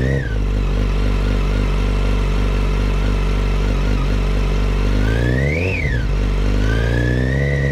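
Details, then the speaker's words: 2008 Yamaha FZ1 with revs: clear high whine over the idle rising and falling with revs, possibly a bearing near the clutch; much louder at the clutch cover than crank area and cam chain drive; cause unconfirmed. "okay so it was much louder on the clutch cover than it was in the crank area and also in the km drive with the timing chain and the cams I did hear it in this area but it was way quieter than it was here"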